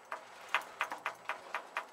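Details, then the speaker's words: 7.3L Powerstroke diesel with the head removed, number five piston rocked by hand at the top of the bore: sharp light clicks about four a second. Excess piston-to-bore clearance with a streaked bore; likely needs boring over. "you can hear that that's slapping around that's not good"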